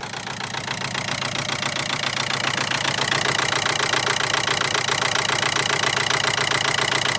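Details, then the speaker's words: Audi A4 2.0 TDI right after turbo replacement, first start: lumpy idle with a steady thumping pulse, roughly three to four a second, over diesel clatter; not running on all cylinders, one or two injectors suspected, cause unconfirmed. "Okay, that's definitely misfiring so far. Okay. Sounds like it's not running on all cylinders."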